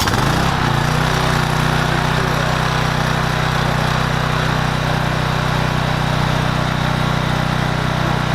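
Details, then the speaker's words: Troy-Bilt 2800 PSI pressure washer, model 020568, Briggs and Stratton engine, after carburetor bowl cleaning and oil check, running without water connected: catches after a short pull and settles into a steady even run with no misses or surging; healthy. "Is it on (the switch) (Starting it - and success - it starts)"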